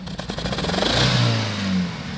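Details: 2013 Dodge Forza under acceleration, weak power and nonworking speedometer; revs with uneven, stumbling note and ragged pulses as it climbs, down on power; cylinder misfire.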